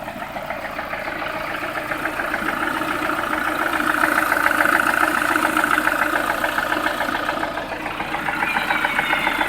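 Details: Lada Priora, about 3000 km after piston group replaced following bent valves, 10W-40 oil, warm idle: steady quick knock about three to four per second; owner unsure whether pistons or hydraulic lifters.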